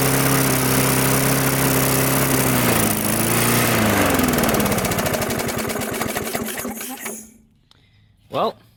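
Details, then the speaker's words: Mid-2000s MTD Yard Machines push mower with air-vane governor, after pull-start repair, holds speed, sags and picks back up before winding down; fuel leaking at carburetor, owner assumes it detached from the tank, causing the surging. "actually runs pretty well however I can see there is fuel leaking out of the carburetor right there in the same basic location that it was leaking out on the red mower"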